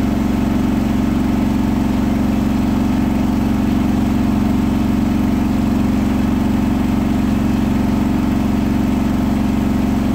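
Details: Hotpoint washer at 1400rpm final spin: loud steady drone with a regular throb about four times a second. A single bath sheet rolled, fooling the balance check, then bunched to one side, leaving the load badly unbalanced.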